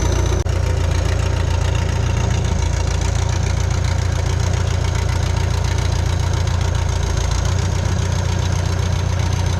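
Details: Bobcat 883 with a freshly installed reman Deutz diesel, first start: a deep, steady rumble with even, regular clatter and no misses or knocks; healthy idle.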